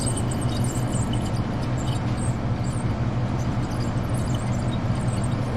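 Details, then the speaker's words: Furnace draft inducer motor, frozen and fried, with pressure switch held up to coax it: low labored hum, never spins up to speed or gets enough pressure to complete the cycle; seized draft inducer motor needing replacement. "That thing's fried. It's trying. It's trying. It's not going to be enough to get him to do the rest of the cycle, though."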